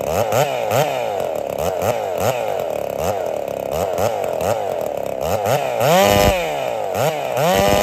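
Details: Holtzfforma 372 chainsaw with big bore kit and heavy porting, ignition timing advanced: repeated rev-ups climb unevenly with sharp pops and won't rev out; timing suspected too far advanced.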